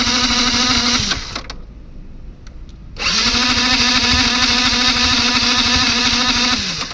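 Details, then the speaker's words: Yamaha MT-15 motorcycle: self-starter motor whirs steadily, engine cranks but won't fire; battery charged twice; owner suspects an underpowered aftermarket starter bought online. Cranks but won't start. "இப்ப வந்து start ஆகி app ஆகுது நல்ல வேலை இப்ப வந்து self motor ஓடுது. ஆனா இன்ஜின் ஸ்டார்ட் ஆகல."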